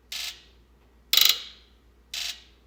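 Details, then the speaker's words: 1996 Ford F250 7.3L diesel with hard starting and code P1294 (high-side open, bank 2): injector buzz test with three short, sharp buzzing bursts shows every driver-side injector dead; wiring tested fine, pointing to a failed IDM. "This test helped me determine that all the injectors on the driver side bank are dead."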